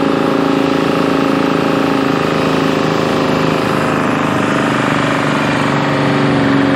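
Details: Bantam C350 crawler crane's Detroit Diesel (believed 3-53) two-stroke, revived after about 20 years parked: steady even buzzing drone, constant mid-pitched hum, no misses or knocks while hoisting the boom; healthy.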